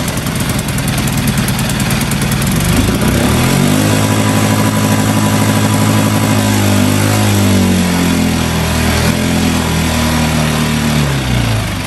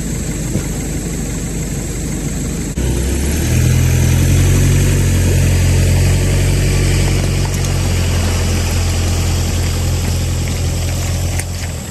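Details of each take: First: New Hangkai 6.5 hp four-stroke outboard, first start in water barrel on choke after priming bulb: engine climbs and holds a fast busy speed instead of settling; idle speed screw set way too far in, later backed out; high idle speed. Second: Brand-new Hangkai 6.5 hp four-stroke outboard, bought on eBay, pushing a 10 ft jon boat after the over-high idle screw was backed out: steady low drone, brief rise in revs, then a smooth constant pull; started easily, ran well in all gears, healthy under load.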